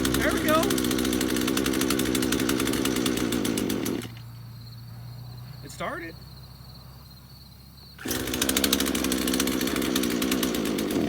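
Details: Craftsman chainsaw first start after about five years in a shed, choke on: races raggedly, drops near stall and picks back up; only runs on choke, struggling to pick up fuel.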